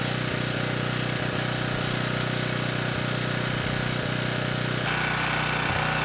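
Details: Ridgid 5700 W generator (RD905712), Yamaha MZ300 engine, dump find with 1500 hours; started first pull on a cold day, warming up before load: steady even single-cylinder chug at fast governed speed, no misses or knocks; normal running.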